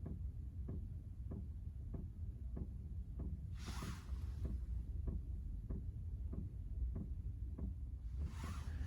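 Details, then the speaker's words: Chinese diesel heater in van, after bleeding air from fuel line, 40°F weather: faint regular tick about every 0.6 seconds over low hum; dosing pump pulling fuel normally. "alright so now see we got the pump going you can probably hear it a little bit"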